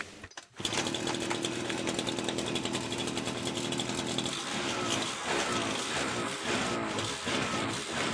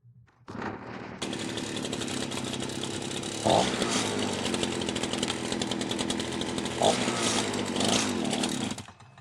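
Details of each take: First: FCO Stark 38 two-stroke string trimmer that stalled when opening throttle, after fixing an air leak in the fuel line from tank to carburetor: high, steady buzz without stumbling; normal running after repair. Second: FCO Stark 38 gasoline string trimmer: two-stroke runs rough and uneven, surging when throttled suddenly, then dies; dry spark plug, cracked fuel line drawing air and leaning it out.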